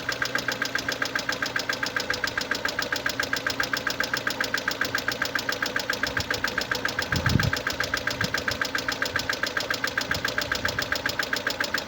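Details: 2011 Mercedes-Benz A160 W169, 1.5 L petrol M266E15, 70 kW, 97,955 km: sharp even ticking about 220 a minute over a quiet idle, steady with engine speed; defective hydraulic lifter.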